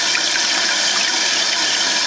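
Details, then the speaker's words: Toilet tank refilling after a newly replaced fill valve, fitted to fix a constantly running toilet, with the water turned back on before a leak check. A steady rushing hiss with no sputter or whistle. Normal tank refill. "And I'm going to turn the water back on. So you can hear it's filling. I'm going to check for leaks."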